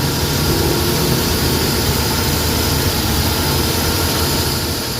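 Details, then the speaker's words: Suzuki DA64/DA63/DA17 at idle with AC on after repairing burnt wiring: steady, even idle, RPM rises properly with compressor, no vibration anymore. "Okay na yung RPM tapos naka-aircon. Ayan nakaon ng aircon. Malamig."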